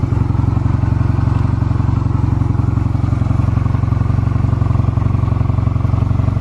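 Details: Stored Honda Rebel 250 Special (MC13-1103) start-up check: even, regular low thump at idle with a clean, steady beat and no ticking or clatter; normal idle, no abnormal engine noise.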